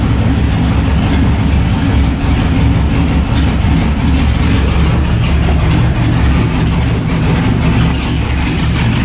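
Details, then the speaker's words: LS1 V8 in a BMW E30, just fitted with a new MSD 6014 box replacing the 6010, first start: loud shaky rough idle; cause not found. "everything seems to be running all right it's around a little rough"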